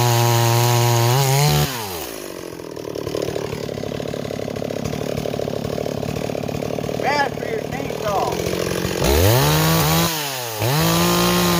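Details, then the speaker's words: Stihl 026 chainsaw returned as a no-start, refueled, cutting with a 20-inch bar: revs crisply and pulls steadily through the cut without bogging; much improved, an 18-inch bar is thought to cut faster. "okay it's doing a lot better now I really think the 026 should be with an 18 not a 20"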